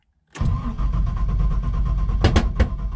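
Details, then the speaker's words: LS1-swapped Nissan Patrol on its first start attempt: starter cranks into a rough catch, then several sharp pops as the engine backfires. "Oh, backfire."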